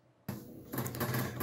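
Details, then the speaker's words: Commodore 128D under restoration, internal floppy drive reading disks. A sudden clunk, then steady low buzzing mechanical chatter: abnormal drive noise, though the owner later doubts the noise was his actual problem. "so along the way I started noticing some odd noise coming from the floppy drive like this"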